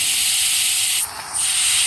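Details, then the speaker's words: Maple sap line vacuum system with pump running: steady high airy hiss that dips briefly when a finger covers a crack in the top of a tap spout; vacuum leak, fixed by replacing the spout. "there's a crack in the top of this spout right here here if I Lay My Finger over it now I'm sure you can hear"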